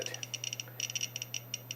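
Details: Geiger counter, the world's smallest model, held to an old camera lens: rapid irregular clicks, about twenty in two seconds, over a low steady hum, reacting to the radioactive lens.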